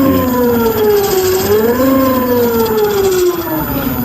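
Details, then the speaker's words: Ola S1 Pro Gen 1 electric scooter at 20,000 km, powered on: loud wavering electronic whine rising and falling; won't exceed 10–15 km/h, slow to gain speed with two riders. Motor controller (MCU) failing for the second time. "ये चालू mode में है और आवाज सुनना।"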